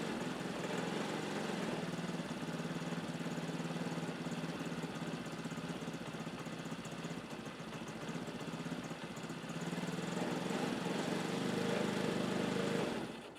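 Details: Motorcycle engine fitted to a homebuilt tractor, started through a new relay and fuse box: it catches, runs evenly with no knocks or misfires, revs lift slightly near the end, then it shuts off cleanly with the key.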